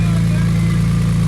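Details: Wrecked Porsche 911 Turbo flat-six after clearing oil hydrolock from pistons, running after restart while burning off residual oil: deep steady drone with firm even beat, no knocking or misfire; engine healthy.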